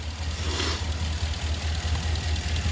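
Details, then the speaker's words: 2019 RAM 1500 pre-purchase inspection, cold start in gear: steady, even low idle rumble with no exhaust tick or fluttering MDS-type tick; clean, healthy idle. "Overall, really good. On cold start in gear, there was no exhaust tick or anything like that, so that's good."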